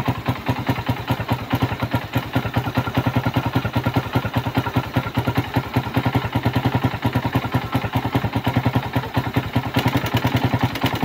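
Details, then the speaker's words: Suzuki Raider 150 at idle, stethoscope on cylinder head at piston bore: heavy regular clatter, two to three knocks a second; oil starvation wore the piston, valves also affected, crankcase noisy too. Piston slap from worn piston. "So maingay din sa may piston ball. So meaning to see yung bulve naektuhan ng pagkatuyo ng langis. natuyo ng langis tapos yung piston na hin natuyuan din ng langis naudpod"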